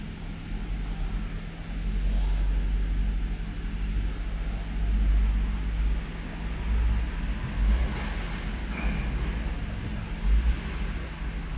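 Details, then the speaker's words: Toyota Avalon with a misfire that appears when cold, after switching off and restarting: a low idle rumble with uneven thumps and dips; cylinder 1 misfire confirmed by the misfire count, cause undetermined between spark plug, ignition coil or injector. "Nagkakaroon ng count yung number one. Ayan. Yan. No? So number one confirm ng cylinder number one na may issue. Hindi natin ma-identify kung spark plug ignition coil or injector."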